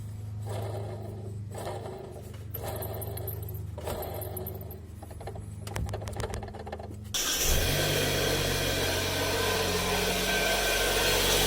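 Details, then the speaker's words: Engine running with a damaged alternator bearing (one of two supporting the central shaft, front and rear): hum with rough rhythmic whirring rising to a loud, harsh grinding rush. "El siguiente son los baleros del alternador. Este contiene dos, uno en la parte delantera y otro en la parte trasera, justamente para sostener el eje central del estator. Cuando uno está dañado, podría escucharse algo así."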